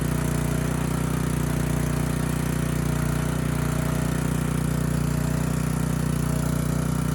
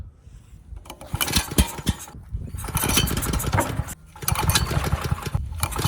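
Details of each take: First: Ridgid 5700-watt generator with a previously seized Yamaha MZ300 engine, freed and rebuilt, heat shield rattle fixed: steady, even engine drone under governor with no knocks or misses; power output and engine speed good. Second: Ridgid 5700 generator with previously seized Yamaha MZ300 engine, governor spring turned down, cranked with starting fluid and drill: short cranking bursts with a few puffs, never catches; not enough compression.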